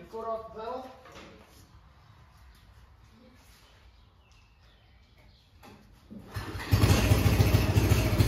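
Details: Homemade junkyard go-kart small engine revived after never running: after a quiet stretch the engine cranks, catches and settles into a steady, even idle of about three beats a second; runs fine.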